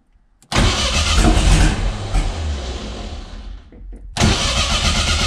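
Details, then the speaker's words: 500hp 2.3 engine first start attempt with oil pressure and fuel pump running: starter churns, engine catches with a few uneven pops, dies back to cranking, then cranks again without running; nearly fires but won't start. "close i mean you hear it wants to run right that's something"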